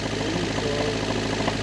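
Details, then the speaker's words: Engine idling with a dull rhythmic knock in time with the crank; a rod knock is reported after driving it. "I drove it around and the thing has a rod knock."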